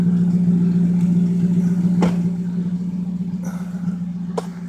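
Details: 1997 Lincoln Mark VIII with 10W-30 oil and Motorcraft filter, light regular tapping at idle, about 220 per minute; owner suspects a loose timing chain, and a known intake leak is present; cause unconfirmed.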